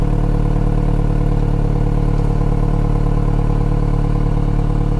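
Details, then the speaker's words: Flood-damaged Scion at idle: heavy low idle with an uneven, stumbling beat, significant misfire that later cleared, with sweet-smelling white smoke from coolant leaking past a minor head gasket failure. "And it was misfiring pretty significantly. Now it's cleared up. But there was definitely coolant."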